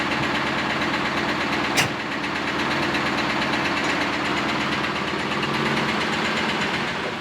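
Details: Camaro V8, first start after exhaust weld repair: rough idle with a clattering knock and rattle throughout plus one sharp crack; exhaust blew out debris including a dead animal; deep internal knock, cause unconfirmed.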